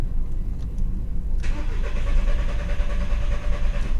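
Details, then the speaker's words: 2000 VW Beetle, intermittent stalling, code P0322: starter cranks at steady rhythm but never fires; no RPM signal on VAG-COM or scope, failed crankshaft position sensor (G28). "no RPM signal uh via vagcom and no signal via the uh scope so we're looking at a bad sensor"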